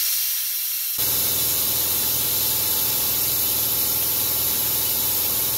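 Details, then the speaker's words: Four Uncles vacuum brake bleeder tool running on shop air with the lever held down: loud steady hiss for about five seconds while slowly pulling brake fluid; normal operation, but it uses a lot of air. "okay so it's pretty clear that this thing is going to take a while to suck the fluid out"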